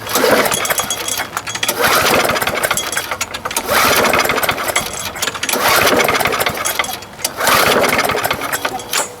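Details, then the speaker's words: Lawn mower no-start, before repair: recoil pulls about every two seconds whir briefly without catching; spark present but irregular, plug possibly dirty, odd wire fitted on the bail arm. "i was getting sparked but it's not very uh very regular so i don't know why he's got this wire on his uh bail arm here either but anyways"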